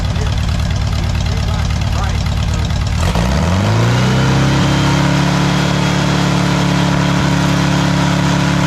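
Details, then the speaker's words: VW air-cooled 1641cc engine, first start after rebuild, carburetor tuned: cranks, catches, then settles into a lumpy idle with a sharp puffing chuff from an exhaust leak at a loose exhaust clamp; smoke is only spilled oil. "And then on this side, the clamp on the exhaust is loose, so it's got an exhaust leak, but let it cool down and t"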